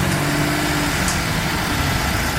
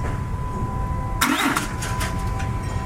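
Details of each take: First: 2007 Dodge Ram 3500 turbo Cummins diesel idling after fuel priming, for black smoke/no power complaint: steady even smooth low rumble, no misses, sounding smoother than before. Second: 2007 Dodge Ram 3500 turbo Cummins diesel, 6-speed manual, after fuel filter change for black smoke/no power: two long bursts of steady cranking, about three to four turns a second, not catching while fuel primes back through system.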